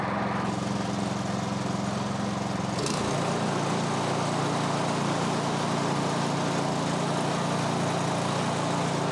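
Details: Snowblower (MTD) single-cylinder engine, about 2–3 years old with roughly an hour of runtime, after the plugged carburettor pilot jet was cleared with a bigger guitar string: steady, even beat with no hunting or stumbling, now running properly.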